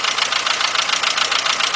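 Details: VW Beetle/Golf/Jetta 2.0, bought used, idling after fuel pump replacement: uneven stumbling idle with rhythmic dips in exhaust pulse; misfire, owner suspects original plug wires, not diagnosed.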